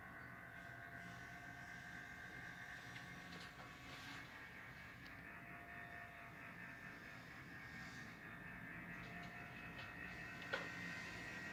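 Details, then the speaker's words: LG Dual Inverter 12,000 BTU air conditioner indoor unit (evaporator): a steady airy whir with a persistent mid-pitched hum and faint whine from the failing fan motor; replacing the motor is suggested. "Barulho do motor ventilador da evaporadora Dual Inverter 12.000 BTU LG. Sugiro trocar motor."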